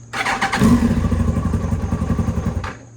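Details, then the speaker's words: Project motorcycle: engine catches with a rough uneven patter for about two seconds then dies; won't hold idle even when warmed up unless choke is held, and won't start in gear, only neutral. "that's yep even after you warm it up it doesn't stay on you have to pull the choke hold the choke sounds good but even after warming it up it doesn't stay on"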